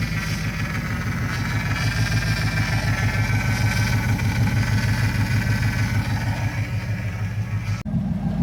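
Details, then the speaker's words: LS-swapped S10, first start with belt fitted, alternator charging: loud, steady low rumble at about three beats a second; idle maybe a little low but smooth, engine idling normally. "Maybe a little low on the idle. It's not as loud as I thought it was going to be, but it is pretty loud."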